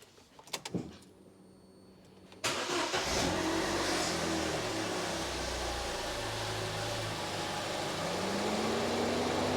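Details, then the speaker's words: 2013 Vauxhall Corsa SXi 1.2 petrol, just after a spark plug change: a few clicks, then the engine starts and settles into a smooth, even idle with a brief rev, the fan cutting in, and no misfire. "That sounds normal. Fan's cutting. Just give it a little rev. That sounds good. Didn't hear any misfire, seemed to run smooth."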